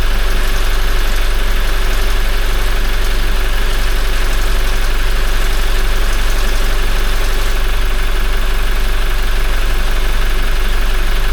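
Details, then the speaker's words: Toyota 1GD-FTV diesel, 40,920 km, first start after an oil change to Ravenol and a new filter: fast metallic rattle about three per second at idle, timing chain; owner thinks it came from the empty oil system until the hydraulic tensioner filled. "Сначала затрещал, потому что система пустая была. Потом прекратился резко. Только заполнился, видимо, этот гидронатяжитель натянулся."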